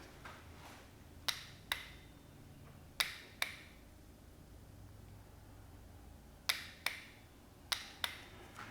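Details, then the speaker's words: 1991 Johnson 50hp outboard: pressing the trim/tilt buttons gives sharp relay clicks in four pairs but no motor hum; the hydraulic power trim motor does not run, clicking apparently from the two trim relays. "i can hear this i can hear the solenoids clicking when i press the the buttons but nothing's happening it sounds like it's coming from in here i'm guessing these are the two relays for the trim"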